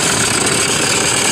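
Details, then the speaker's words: Toyota Fortuner at start-up with battery warning light on: loud, steady rough hiss and rattle like belt noise or failed bearing from the alternator area. "Fortuner സ്റ്റാർട്ടിങ്ങിൽ നല്ല sound, സ്റ്റാർട്ടിങ്ങിൽ എഞ്ചിൻ്റെ ഭാഗത്ത് നിന്ന് belt noise പോലെ ഒരു bearing ഒക്കെ പോയ വലിയൊരു സൗണ്ടാണ്."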